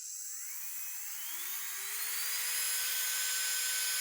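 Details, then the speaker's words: Manicure nail drill handpiece that developed a foreign noise after being dropped, bearings not yet lubricated. A thin whine spins up and holds with a rough, dry edge. Nail dust getting into the bearings causes fast wear. Worn handpiece bearings. "вот эти вот от ногтей мелкая пыль попадает в подшипнике и вот из-за этого износ очень быстро идет этих фрезеров маникюрных"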